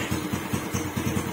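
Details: Raider J115 Fi after stator repair, charging restored: a small single ticks over evenly with no fuel pump whine, which earlier was likely caused by insufficient electrical supply; normal idle.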